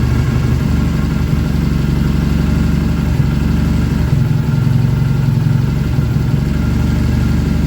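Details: BSA twin, first start after engine rebuild: steady, even low thump at idle with no knocks or rattles; good oil return, oil light out, charging fine.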